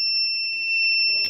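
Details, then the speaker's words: Kent Grand RO water purifier: continuous high-pitched electronic tone holding unbroken while the reset button is held down; filter-change alarm still sounding before it stops. "जब तक यह B बंद ना हो जाए B बंद होगी कुछ टाइम लेगा और उसके बाद जो लाइट है यह भी हमारी ग्रीन होने लग जाएगी"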